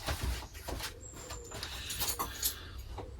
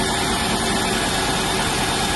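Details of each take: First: 1995 Range Rover Classic sat over 10 years, after replacing distributor cap and HT leads; clicks and steady fuel pump hum, then starter cranks evenly about three and a half times a second but never catches: crank no start. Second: 1995 Range Rover Classic, sat over 10 years, after throttle pedal fix, engine at 6°C: steady even idle with no misses, knocks or hunting; healthy cold idle.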